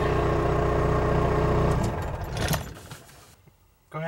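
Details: 1980s Ford F-Series/Bronco test-started after ignition lock cylinder replacement: the engine runs evenly for under two seconds, then goes quiet; nothing abnormal heard; normal start and idle.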